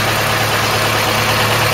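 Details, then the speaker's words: Classic car not run since 1983: even, steady idle with smooth low hum, no misses, ticks or knocks, no smoke starting or running; idles sweetly. "no smoke when it starts up no smoke when it's running really sounds sweet"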